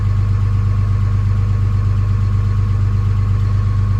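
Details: Early 2007 Ram 3500 5.9 Cummins diesel, G56, 326,000 miles, cold at 31°F, automatic high idle; even, slightly raised idle at about three beats a second, no knocks or misses, healthy.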